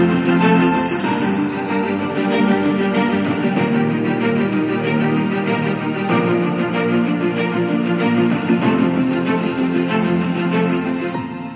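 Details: JBL Bluetooth speaker after cone patched with firmly stuck electrical tape, cover off, switched on: music full and clear, no buzz, rattle or crackle on bass; cone sound, distortion gone.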